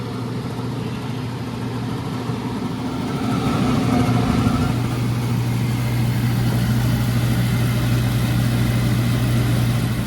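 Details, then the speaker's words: Carrier oil-fired furnace in a warehouse with a failed control board, blower bypassed to run directly: a loud, steady roar with a heavy low hum that swells as the fan reaches speed, rough and worn; the fan motor is to be replaced. Noisy blower motor. "we're going to replace that fan motor too because based on its its sound and then this board is going to be bad"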